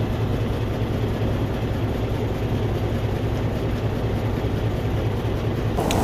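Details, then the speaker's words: 2012 truck with Cummins ISX15 diesel, engine rebuilt about 180,000 miles ago, idling with uneven low thump and puffing hiss, misfire and heavy tailpipe smoke, no power on cylinder 6; compression leak from cylinder 6 through broken cylinder head, coolant consumption. "it sounds like a very expensive problem it has misfire and you can see a lot of smoke coming from the tailpip"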